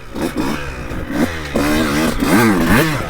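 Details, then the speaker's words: 2002 CR125 two-stroke before tuning, on stock jetting with little top-end work: slow throttle response, revs rise and sag unevenly with a blubbery stutter and break up before the power band. "this girl's got very slow throttle response we haven't done anything with the carburetor yet stock jetting and I also haven't done very much with the top end oh so as you can see it just kind of breaks up a little bit"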